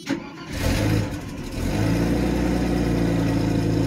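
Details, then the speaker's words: 1991 Mercedes 190E with CIS injection, first cold start: brief crank, catches quickly and settles into a steady even idle; clean start, though an exhaust leak and rattle are noted. "then it fired right up get the ear brakes on as you can see it fired right up the idle speed will correct that's also a good thing right"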